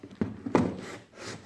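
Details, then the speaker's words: 1993 Honda Goldwing GL1500 Champion trike conversion: two dull metallic clicks as the removed driveshaft's worn front universal joint is rocked by hand. It caused a click/clunk from the transmission area on throttle up and down. "the problem that we had was the u-joint the front u-joint in the in the bike was bad it was making a clicking sound and it's just completely shot"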